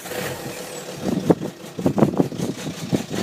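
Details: Skoda Octavia vRS PD170 TDI diesel with new recall injectors, cold start at 3°C on 04/04/2012: the idle surges and stumbles in uneven lumps with no steady beat; rough idle, cause not evident.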